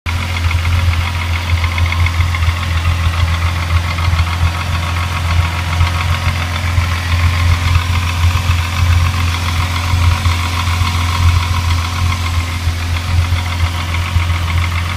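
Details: Rebuilt Mk3 VW VR6 petrol engine idling: fast, regular knock through the low engine hum; others suggest timing chain or tensioner, not confirmed.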